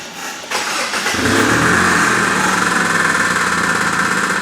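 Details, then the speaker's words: 2002 Kia Spectra with 229,000 miles; the owner fears engine damage. The engine catches and settles into a steady run with an uneven, fluttering pulse of a few beats per second, seeming to come from the front of the engine. The source is not yet isolated. "well today we have a 2002 kia spectra with uh 229 000 miles on it it has a rather interesting problem of a fluttering noise"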